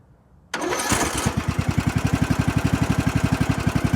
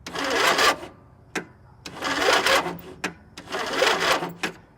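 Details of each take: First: Lawn mower engine jump-started with an Imazing 2500 peak amp jump starter showing about 16 volts: quick crank, then it catches and settles into a steady, even putter of about four pulses a second, a clean healthy start. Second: Lawn mower engine cranking on its own weak battery before hooking up a jump starter: three slow, labored cranking surges about 1.5 s apart, never catching; owner says this is really common for this battery.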